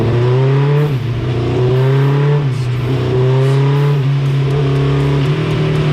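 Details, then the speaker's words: 1987 Suzuki GSX-R 1100 carbureted on the dyno during carb tuning, run before the final adjustment; pulls through the revs but the note breaks up and surges unevenly, choppy rough running. "did you hear how the last run was smooth it was good yeah good and the other run before that it was just kind of Chucky"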